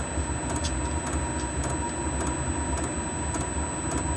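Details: Newly fitted Chinese diesel heater with backup battery, lit and warming up: steady fan hum with soft even pump ticks about every half second, burning normally.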